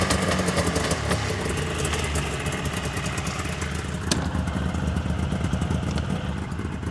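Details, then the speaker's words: 1999 Yamaha VMAX 700 two-stroke triple snowmobile, low miles: uneven, clattery beat and fouling at low revs, not cleanly on all three cylinders, still not 100% after clearing; one plug dark and one white, center cylinder suspected, not confirmed. "so you can hear right there definitely on the low end fogging out now when it finally did kind of clean itself out it sounded like it was running on three cylinders but still not running 100% for sure"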